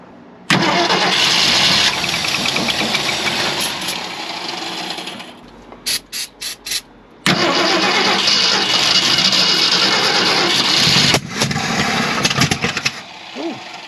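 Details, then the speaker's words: 1965 Ford Galaxie 500, after its plugged fuel filter was replaced: the starter spins evenly in long bursts but the engine never fires. The long-sitting carb has a non-working accelerator pump, passage suspected clogged. "Alright, well I figured out I wasn't getting fuel to the carb. The filter that was on it was plugged."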